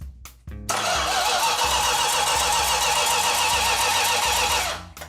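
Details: 69½ A12 Super Bee engine on the run stand before installation, first start attempt: starter churns steadily about four seconds, engine never catches; some fuel lines later found not fully tightened.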